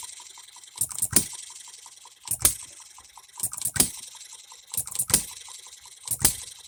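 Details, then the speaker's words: Economy hit-and-miss engine after new piston and re-ring, freshly oiled, no cooling water yet, seating rings: sharp firing bang about every 1.25 seconds with soft coasting ticks between; hits hard, normal hit-and-miss running, governor to be slowed. "it hits pretty hard it's lifting that up and we are hitting and missing now"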